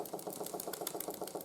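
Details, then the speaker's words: 1914 Ernst Plank 114/1 steam engine running hot after a running-gear overhaul: a quick, light knock in step with each stroke is still present, though quieter than before; cause unclear. "as you can hear the knocking is still there"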